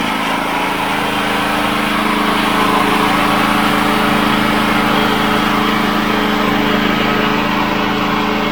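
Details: Wolf 5kVA petrol generator, Honda GX390 clone, after service kit repairs, new part fitted, air filter cleaned and reinstalled; steady even note at constant speed, no misses, surges or knocks. Normal running, ready for use.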